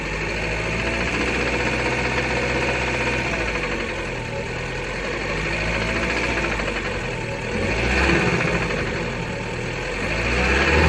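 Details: 2007 Fiat Bravo 2 with the 1.4 T-Jet 150 hp at 215,000 km, after maintenance: rough, fairly regular knocking around four per second over a surging engine; a persistent knock with the cause still unknown.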